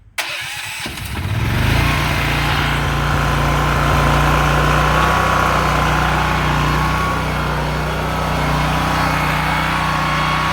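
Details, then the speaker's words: Honda EM6500SX electric-start generator, choke open, amp/watt meter with a heat gun on the outlets, during a carburetor cleaning job (needle valve suspected stuck, oil possibly overfilled): it catches within a second and settles into a steady, even drone with no misses or knocks; normal running. "she's running it's a good thing"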